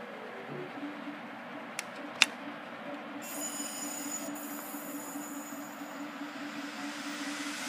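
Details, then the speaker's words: Seagate Barracuda 1.5TB 7200 RPM hard drive, about 2 years old, powered with its cover removed: two sharp clicks at power-up, then a thin high squeal over the spindle hum; failing, clicking drive, data likely lost. "oh God that sounds terrible yeah I I have a feeling my uh data is pretty much [Music] gone"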